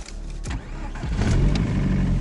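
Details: Chinese sedan: engine catches after short crank into rough, clattery idle with faint diesel-like rattle; cause unknown.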